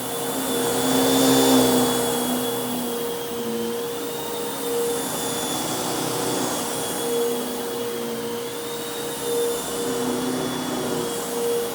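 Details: Bissell Lift-Off Multi Cyclonic Pet vacuum, model 89Q9, made mid-2013 and about 7 years old, running on the floor: steady motor whine with a constant high tone and even air rush, no rattles or pitch dips; running normally.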